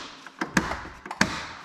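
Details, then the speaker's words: John Deere LX186 riding mower, 17 hp Kawasaki engine, auction buy, engine won't spin over: two sharp separate clicks about half a second apart with no cranking as the electric PTO blade clutch engages normally. "the blade or the PTO clutch is engaging. So, that's something."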